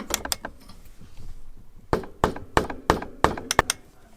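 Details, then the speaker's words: Mesa Boogie RA 100 guitar amp with EL34 power tubes: six sharp taps with a metallic ring around 1 kHz as one tube rattles when tapped; that microphonic tube was replaced, ending the hum. "can hear it rattling so it's this one but we're going to definitely swap out that tube and hopefully that solves our problem"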